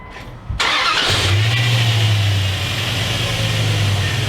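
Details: 2001 Dodge Dakota 4x4, 4.7L engine, after power steering pump replacement and bleeding with power steering fluid: cranks, catches at half a second and settles into a smooth, even idle with no whine or groan from the steering pump; normal idle.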